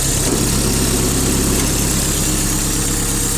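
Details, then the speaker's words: Mitsubishi D2050 four-cylinder diesel mini-tractor, 815 engine hours, 4WD, front blade and tiller, idling with steady even diesel clatter, no stumble or knock; runs evenly, everything fine. "Четырехцилиндровый тракторочек, работает ровно, все отлично, все хорошо."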